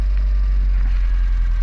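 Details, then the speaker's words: Peugeot 205 GL, carbureted, half-warm start with choke then removed: low, steady idle rumble, even with no hunting or stumbling; idling normally. "Ah le bruit il est cool quand même hein."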